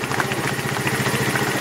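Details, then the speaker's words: 150cc GY6 scooter just fitted with a replacement carburetor after the original had problems. Quick, even putter at idle with steady regular pulses and no misses or stumbles; idling smoothly while the idle is adjusted down. "holy cow sounds really good this is a sucker man that was a good decision and adjust the aisle down"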